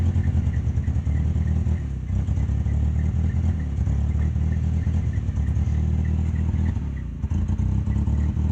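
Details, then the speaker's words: 1994 Dodge Ram, about 90,000 original miles, sat 6 months: engine runs and revs but sags twice on quick throttle, picks up when fed gently; owner suspects carburetor or fuel pump; hesitation on acceleration. "i'll show you guys when you rush the motor like it die down like a carburetor"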